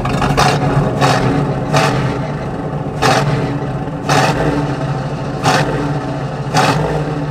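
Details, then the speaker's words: Small-block Chevy 350 V8 in a square-body truck with Quadrajet, initial timing set to 12 degrees and idle turned down: seven quick throttle blips snapping up instantly, no longer lazy. "See how that throttle response is just right there? It's not lazy like that was."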